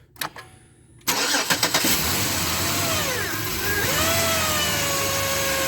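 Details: 2007 Chevy Equinox after new belt and idler pulley: engine catches after a brief crank, then a thin, wavering whine rides over the idle, pinned on the alternator, which was then replaced.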